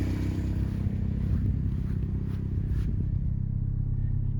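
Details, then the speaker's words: Ford Escort/Mercury Tracer after fuel pump replacement, no fuel filter leaks: low, even idle rumble with no stumbles, misses or ticking; running smoothly, better than in a long time. "Sounds like we're doing good back here, so I'm going to shut the car off and we're going to put our seat back in. Sounds pretty good. Hasn't sounded this good in a long time."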